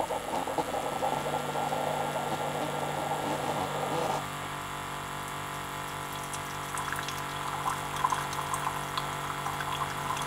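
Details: Keurig coffee maker after pump pulse-width modification: steady, fairly quick pump hum with water gurgling into the cup, motor speed much faster, running even and strong; pump now working normally.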